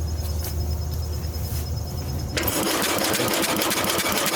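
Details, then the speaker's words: Circa-1966 Simplicity Sovereign garden tractor, Briggs points engine: rhythmic chugging about three times a second while cranking, never firing. Cranking, no start; the pushrod looks chewed up and barely moves, and a worn cam lobe is suspected. "Bumping it, but barely moving. So I don't think there's enough movement on it. It's moving, but it's very little, and it could be the cam lobe is worn."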